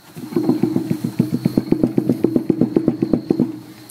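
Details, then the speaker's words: Trailer wheel rocked by hand gives quick, regular clunks, about four a second, from far too much play in loose wheel bearings, on both sides; the bearings are to be pulled, cleaned and checked for wear. "check them to make sure they're not war because this is way way too much play and it's got that on the other side too"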